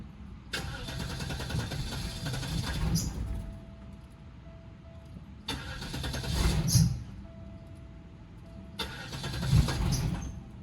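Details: 1998 Oldsmobile Aurora V8, sitting since 2016, after new fuel pump installed: three crank attempts, each a few seconds of steady starter churn dying off without catching; extended cranking, hard start.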